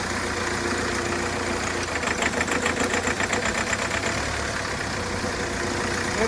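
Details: Hyundai Creta diesel that knocked and made white smoke after an engine job elsewhere, revved after timing was reset; revs up and settles with even clatter, no heavy knock, normal revving.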